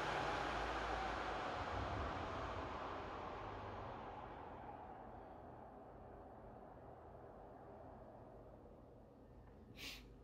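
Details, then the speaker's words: PS5 console fan with an adjustable speed controller on the fan port, being turned down from maximum to about quarter speed. Loud rushing air eases and fades as the speed drops, still faster than stock. Smooth fan noise with no rattle. "so basically that is um back to stock and this will be just a quarter after just a quick nip there is a difference as well that is faster than stock"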